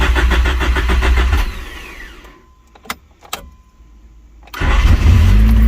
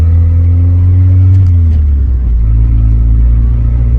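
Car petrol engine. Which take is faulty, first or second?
second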